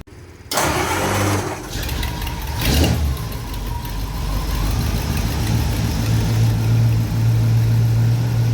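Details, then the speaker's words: 1951 Mercury flathead V8, 72 years old, just after an oil change, good oil pressure: cranks and catches within a second, then settles into a low steady even burble with no knocks or misses; healthy start and idle. "Sounds like a happy Mercury to me. Oh yeah."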